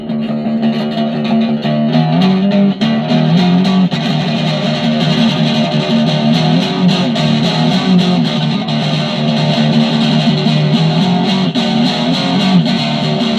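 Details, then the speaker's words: DigiTech Twin Tube GFX1 rack guitar preamp after the 12AT7 was swapped for a 12AX7 with settings unchanged: steady chords ring thick and fuzzy with strong saturated crunch, and the distortion now works normally. "No, it's definitely screaming now."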